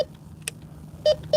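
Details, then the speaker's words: Bounty Hunter Tracker IV metal detector in all-tone mode: a solid, repeatable tone of three short even beeps on each sweep, indicating a possible coin. "I'm in all tone mode and I'm getting a solid tone. This one might be a potential coin."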